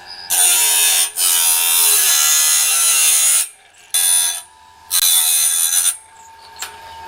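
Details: Norwood BladeMate Pro band-blade sharpener, set up and cutting right: high, raspy grinding in steady bursts with short pauses between passes, no chatter or skipping; normal, even cutting.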